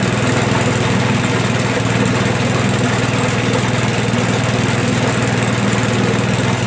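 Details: Toro 421 snowblower single-cylinder engine, cold start after about 2 years sitting, started in a couple of pulls once fuel turned on: smooth, even, unchanging beat at steady speed; sounds healthy.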